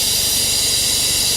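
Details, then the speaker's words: Cheap Porsche 911 Carrera cooling system vacuum-filled with a Shout detergent flush mix via a compressor-driven filler. A steady, even high-pitched hiss as the gauge passes 15 toward 20. The system is gurgling and the hose is collapsing; normal vacuum fill. "I can hear the cooling system gurgling. Oh, look at that. Look at the hose compressing."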